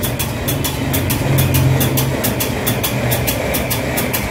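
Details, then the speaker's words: Electrolux washing machine after repairing door lock fault E40: steady low motor hum with light even ticking three to four times a second; machine now running normally. "máy đã chạy bình thường này"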